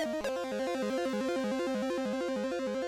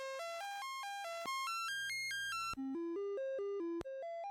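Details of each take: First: Commodore 64 board: this SID chip plays a clean chiptune with a steady stepping bass line and clear lead notes, no dropouts or buzz, but the tune doesn't use the filters that fail on the other, faulty SIDs. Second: Commodore 64 SID sound chip on diagnostic sound test: buzzy square-wave test notes step up and down, somewhat noisy, but the noise channel is missing.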